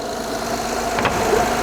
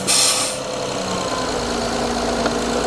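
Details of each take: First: Honda J-series petrol V6 idling smoothly and evenly, no hissing or knocks, after replacing the leaking front-head VCM spool valve and fixing a vacuum leak found at startup; normal idle, no leaks. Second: Honda J-series V6 just started after VCM spool valve oil leak repair and reassembly, engine cover off: loud airy hiss over the engine hum. Giant vacuum leak.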